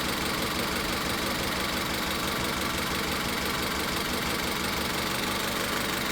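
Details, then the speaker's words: Engine idling during a cylinder power-balance test: disconnecting cylinder 3's coil changes nothing, confirming the misfire is in cylinder three and not a spark problem; uneven, stumbling beat under a steady hiss. "Entonces, ya en este punto nos estamos dando cuenta de que hay falla en el cilindro tres y de que el problema no es la chispa."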